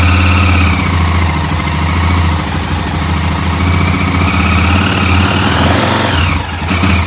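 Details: 2006 Honda TRX400EX Sportrax hybrid, freshly built engine on its first ride after heat cycles, in freezing weather: steady, even single-cylinder thump with a smooth exhaust note and no knocks or ticks. Rider wondered about a possible exhaust leak, but it runs healthy.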